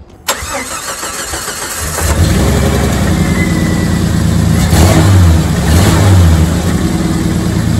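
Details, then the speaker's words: 1990 Jeep Comanche Eliminator six-cylinder, after new spark plugs, wires, cap and rotor: it cranks, catches and settles into a lumpy, stumbling idle, still likely down a cylinder. The owner suspects low compression, with a compression test next. "she does run better she's still not doing great well possibly down a cylinder"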